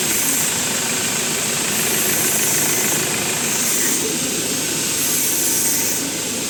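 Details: Ford Ranger after the starter was refitted with a new solenoid, restarted repeatedly, alternator charging 14.3 V. It runs steadily and evenly with a constant hiss and no knocks or misses; the engine sounds healthy.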